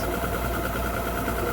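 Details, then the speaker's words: 2009 Mercury Optimax 250 ProXS DFI outboard after replacing the fuel rail for torn fuel and air regulators: steady even low idle at 570 rpm, smooth with no clunks or misses; clunk gone, though temperature then climbed toward 143. "Yeah, sounds fantastic. Clunk's gone. I think. The water's spraying out. Sounds great, you guys. I think so. We got 570 RPM."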